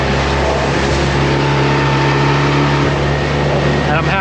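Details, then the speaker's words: New outboard on a dinghy, first hour, half throttle planing with the dogs aboard: steady, even drone and constant hum, no misses or knocks; normal, clean planing run. "throttled and I actually have to let off cuz we're planing even quicker now"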